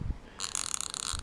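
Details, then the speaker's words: 1/2-inch ratchet that had seized, freed and relubed with Archoil AR8100 grease: light, crisp, evenly spaced clicks as handle swings, much quieter and smoother, sounding like the 1/4-inch ratchet. "Like again, here's my 1/4 inch. And this is the 1/2 inch that I just lubed up. So, yeah, much quieter. It's a lot smoother now."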